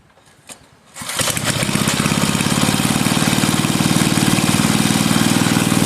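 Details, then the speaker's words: Rebuilt 5hp Briggs and Stratton engine from a Bolens 5 rototiller, after final repairs and reassembly: fires up easily after a second, settles into an even steady chug with no misses or knocks, no oil burning or smoke; happy healthy engine. "fires up nice and easy all right guys well I'm going to call it there for the video I'm going to go ahead and cut the video off um I'd say that is one happy healthy Little Engine"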